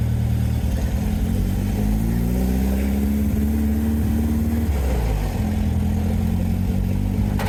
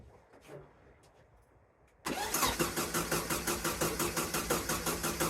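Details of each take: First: VW sandrail dune buggy, unused for 18 months, after replacing a vacuum hose secured with a Jubilee clip: the engine revs and settles cleanly, firing evenly on all four cylinders. Normal running. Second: VW sandrail dune buggy sat 18 months, first start attempt with the carburettor needing to fill: after a quiet start, a steady, even crank near three turns a second that never catches. No fuel pumping through the line; crank no start.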